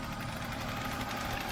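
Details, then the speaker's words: 1996 BMW 328is E36 idling after the idle air control valve was cleaned and the throttle cable tightened to crack the throttle plate open. An aftermarket air filter is fitted instead of the stock airbox. Quiet, steady hum with no surging or hunting; normal idle. "So I tightened up the cable a little bit and she's idling perfect."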